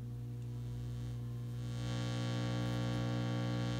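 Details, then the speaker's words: 1950s Telefunken Concertino 7 valve radio (FM/AM/SW/LW), volume fully down: very light steady mains hum with several harmonics heard from the amplifier stages, coming from dried-out failing filter capacitors that need replacing. "there's very light hum just slightly audible and I know that's coming directly from the filter capacity"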